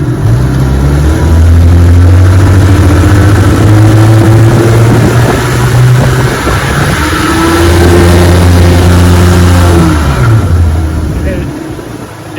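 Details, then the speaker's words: 1961 18 HP Evinrude outboard, restored, on a cold-morning bayou test run: engine climbs to high RPM twice on takeoff but the boat doesn't move; ran fine the first ten minutes, now worsening; spun propeller hub suspected. "now it's getting a little worse and worse watch this when I take off you hear the motor continuing high RPM but the boat is boat ain't moving"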